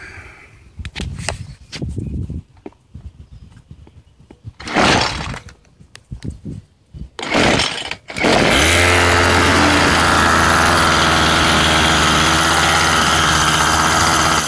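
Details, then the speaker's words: Troy-Bilt two-stroke string trimmer after its dirt-clogged air filter was cleaned. A few pulls, then it catches at a steady high buzz, held at full throttle while it warms up and builds power from weak to strong. "you'll hear the engine start to gradually build up it's um it's power it'll sound real weak at first but you just hold the trigger Full Throttle until it uh until you get it all the way up"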